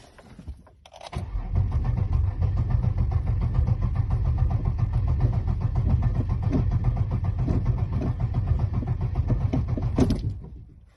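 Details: Abandoned 2002 Pontiac Grand Prix GTP, battery left disconnected overnight to clear the security light: the starter spins steadily about nine seconds but the engine never fires, crank no start. Fuel pressure is to be checked next; a fuel pump is suspected, not confirmed.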